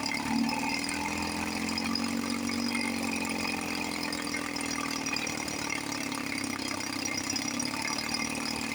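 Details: 1954 Johnson 5.5 HP two-stroke outboard after carburetor rebuild, during low-speed needle adjustment (from 1.5 turns, in until RPM rises, back a quarter turn): steady buzzy idle with a slight rise and fall in pitch, then an even settle; mixture sounds right.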